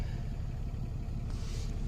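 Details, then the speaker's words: 2014 Ram Cummins diesel, first start after replacing failed VVT/VGT turbo actuator with aftermarket part: low steady rumble, no surging, hunting or odd turbo noise; VGT now responding after being stuck at 50%. "Alright, getting action on the VGT, so it is responding. It was stuck at 50% before."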